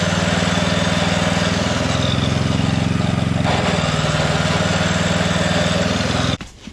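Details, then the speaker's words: Coleman Powermate 5000-watt generator under load gives a steady thumping note that labours and dips midway, hunting. Output is only about 80-something volts, not full power; a new spark plug is planned. "so for some reason we're not getting full power so yeah on our voltage we're only getting 80 something so definitely not running right"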